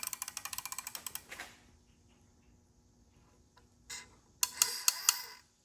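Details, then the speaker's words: Toyota 2.4L/2.5L (2AZ-FE, RAV4/Camry) newly installed timing chain tensioner, crank turned clockwise by hand via crank bolt: rapid run of sharp metallic clicks, about a dozen in a second, then more; tensioner ratcheting out normally, tension taken up. "You heard it? It already was ratcheting out. All right. So, now we already got I'm missing. Okay, we already got tension on it."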